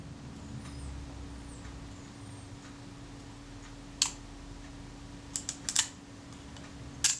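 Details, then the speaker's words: Kodak Retina IIc during reassembly, shutter refitted, curved rack repositioned: a few small dry clicks through film-advance stroke, shutter cocking click only at the very last moment; rack needs another tooth so it cocks just before the end. "it did, but it only at the last second there. I think I want another tooth there. I want the shutter to cock just before the film advance action reaches the end, if I possibly can."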